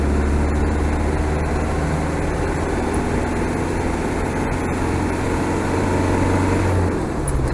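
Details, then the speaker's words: Land Rover truck heard while driving; the owner reports a squeak between first, second and third, suspected to be the brakes, possibly the rear. Steady even engine drone under road noise with no knocks or whines; engine and gearbox healthy. "The engine and box is good. I like that."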